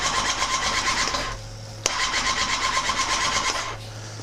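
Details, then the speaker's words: 2006 Kawasaki Ninja ZX10R after modifications: fast starter cranking in two bursts, engine never fires; compression good and no FI light, fuel pump and fuel pressure being checked. Cause unconfirmed. "so pretty much got everything else hooked up and bike still doesn't want to start"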